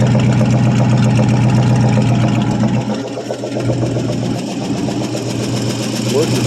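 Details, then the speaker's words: 1974 International 200 two-wheel-drive pickup, first runs after sitting about 25 years with a freed-up seized engine; rough, uneven idle with a steady light ticking of about 4 clicks/s. Owner suspects dry lifters (typical International lifter click). "So, sounds like typical international lifter click. But course, I'm of course I'm sure the old lifters are probably pretty dry after it's been sitting around so long."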